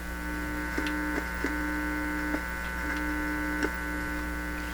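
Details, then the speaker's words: Heathkit IT-12 signal tracer under checkout, RF lead fed a weak 4–5 MHz signal-generator output: only steady mains hum with faint clicks, no tone or audio, volume makes no difference; hum only, no detected signal. "sounds like a nothing to me what would i be expecting to hear i think i think there's a detector and i think we'd be hearing the audio"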